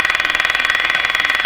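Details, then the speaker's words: Canadian Westinghouse Model 684 radio after cleaning up the IF bypass circuit, live antenna connected, tuned to a station: a rapid steady buzz on top of reception noise. The buzz is believed to be outside interference, not the radio itself. "Now that interference, I'm pretty sure, is not the radio."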